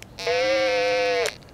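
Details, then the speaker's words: TidRadio TD-H8 handheld radio transmitting on some frequencies: a steady buzzy tone holds about a second while keyed, then cuts off; unwanted whine in transmit audio. "hi everybody it's Chuck here kk6 usy got a quick one for you guys any of you guys bought this uh TD it's a tid radio TD h8 and it makes this annoying noise"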